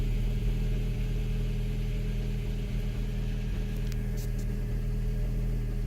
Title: Mk5 gti rough idle cold start after New front and rear PCV